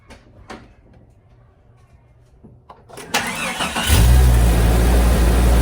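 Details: Jeep Cherokee XJ after installing a 1-inch PQY throttle body spacer: brief crank then clean catch into a smooth steady idle with an even low beat; starts and runs normally.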